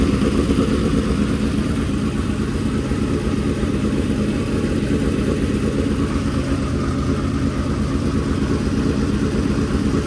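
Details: Freshly built dirt-track race V8 run at raised rpm for break-in, to heat it and seat the bearings: a loud, even drone with no knocks, misses or rattles. Normal running.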